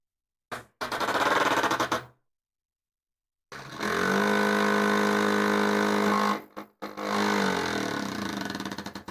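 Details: Prusa MMU2S clone multi-material unit on a Voron Switchwire running Klipper, homing the idler: harsh buzzing stepper bursts with coarse gritty rattle, stopping and restarting; something binding or skipping, doesn't sound right.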